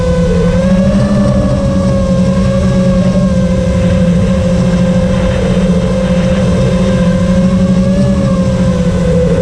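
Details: FR7 quad after tuning, with DMIN removed because it caused raspy motor noise, I-term relax cutoff 10 and RPM filter on: clean, steady, even motor hum with no rasp or roughness; motors running healthy.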